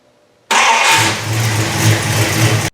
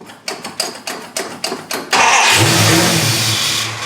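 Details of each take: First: 1974 Dodge Charger after sitting two years, after fitting a carburetor base gasket and spacer to cure the vacuum leak: catches straight away, settles into a firm even burble with a crisp rev, no stumbling; running properly. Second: 1974 Dodge Charger started after sitting two years, carburetor missing base gasket: quick cranking, fires and revs briefly, sags and dies, then cranks and catches again; vacuum leak under carburetor, later fixed with base gasket and spacer.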